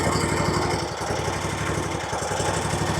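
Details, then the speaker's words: RedMax zero-turn mower with a Kawasaki twin, one spark plug lead pulled: a choppy idle pulsing about four times a second and dipping near one second, sounding like one cylinder. It still revs; surging persists on either cylinder. "I mean, it sounds like it's running on one cylinder, but it runs fine. You can rev it up, you know."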